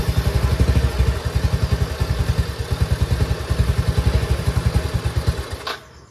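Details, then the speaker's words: Yamaha Mio i 125 scooter: rough lumpy putting about three or four beats a second, stumbles and dies when throttle opened slightly; throttle position sensor misadjusted, to be reset with digital multitester; stalling. "So patay po siya ag pinipiga natin siya ng konti ang kanyang silinyador."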